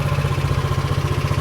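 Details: SYM Allo 125 moped bought with electrical faults, started after charging the battery to about 12.5 V, fairings off: starts and settles into an even low putter of about twelve pulses a second with no misses or knocks, a normal idle.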